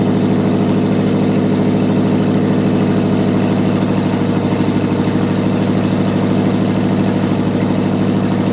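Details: S10 with junkyard Vortec 5.7 V8 after head swap, open headers, no coolant, with MAP and other sensor unplugged: even, lumpy loud idle holding steady without stumbling.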